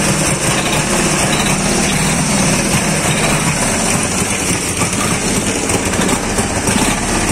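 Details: Dnepr 10-36 motorcycle engine idling after worn connecting-rod bearing shells were replaced: steady, even chug with no knocking under the exhaust note; sounds healthy.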